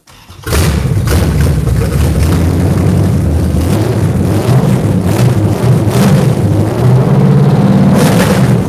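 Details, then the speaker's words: V8 fresh off a month on the dyno, ram-horn D-shaped exhaust manifolds, open manifolds with no exhaust system fitted: fires up loud and raw, settling into a lumpy, deep idle; normal start and idle. "if you guys want to hear it it's open exhaust modifiers it's got no exhaust system the exhaust system is on the floor"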